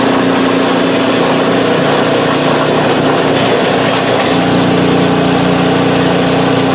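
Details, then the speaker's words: PowerSmart 24-inch snowblower, first start of 2021 after sitting without fuel since 2018: small engine holds a steady brisk beat, pitch stepping up once as load changes, running smoothly and evenly; normal, auger works. "so she's a runner awesome i don't look forward to using it but hey it just is"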